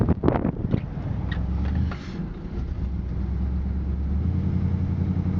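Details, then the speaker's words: 1957 Ford Thunderbird 312ci V8 4-barrel, engine somewhat cold; catches with a few ragged, uneven beats and a dip in revs, then settles into steady low rumble; cold stumble. "Voilà, la voiture un peu froide, cafouille un petit peu par régime, mais bon voilà, ça y est, c'est parti."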